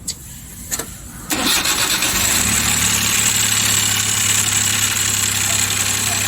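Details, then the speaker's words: Suzuki K6A small petrol engine after overhaul, with no oil reaching the top end: it cranks, catches and idles roughly with a rapid light valve-train clatter. "Tingan niyo guys bagong over hindi umakyat yung oil dito kaya pala Pangit yung kanyang andar"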